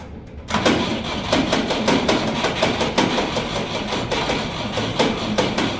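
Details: Petrol Jeep cranking: even, rapid cranking beats with a metallic edge go on for several seconds, but it never fires; turns over and won't start, cause unknown.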